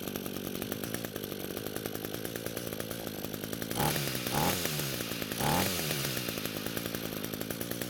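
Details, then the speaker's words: Echo string trimmer, which the owner said ran on canned engineered fuel, run on the mechanic's own fuel before repair: a steady two-stroke buzz with quick throttle blips that rise and fall cleanly. It runs fine, though the fuel lines and tank grommet are faulty. "So I'm not sure what kind of problem they were having because this trimmer is running just fine."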